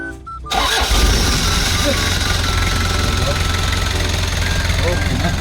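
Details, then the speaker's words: Kia Bongo Big Eye diesel with electronic pump, after a fix of a no-start (a hose/part reattached): brief crank, then it catches at once and settles into an even, steady idle with no misses or knocks; the fault is repaired. "so okay na po yung unit na' guys yun lang po yung sira niya"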